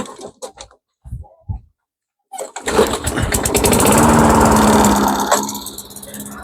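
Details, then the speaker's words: Mastercraft 3-in-1 mower with a replacement engine, after governor adjustment: a few cranking pulls then a steady, even buzz; starts and runs, though later judged short of fuel and carburetor cleaned. "I wasn't saying it'll work, but it worked. All right, now we're talking. Let's get this up to speed."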